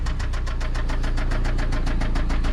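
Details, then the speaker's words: Toyota MR2 SW20 with 5S-FE engine, walkaround at low idle on its final drive before a 3S-GTE swap: a sharp, regular metallic knock about seven a second hammering through; a worn connecting rod bearing, rod knock. "All right, let's do one more walk around. Check out that sweet rod knocking 5sfe."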